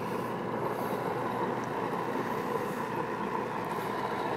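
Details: Carbon monoxide alarm, manufactured July 31 2009, held directly in a generator's open exhaust outdoors: steady exhaust and wind rush, no alarm beep at all; the alarm fails to sound.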